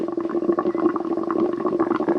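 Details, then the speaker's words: Twin-turbo Subaru Forester: bubbling gurgle of coolant with trapped air in the system, not overheating; owner suspects low coolant, a bad cap and air being sucked into the system. Exhaust leak at manifold-to-up-pipe flange. "I think I need a new cap, and I think there was still air in the lines. But it wasn't overheating, was it? No."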